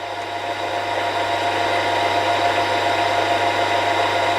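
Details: Milling machine after replacing spindle bearings and setting preload and end float, running at high speed settings where chatter occurred before: smooth steady whirr, clean even tone, no chattering or grinding; noise gone.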